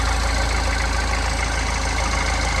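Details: Mahindra Xylo diesel after an injector circuit wiring repair cured a 3–4 month crank-no-start: a low, steady idle with an even clatter that holds speed without stumbling or hunting, a healthy idle.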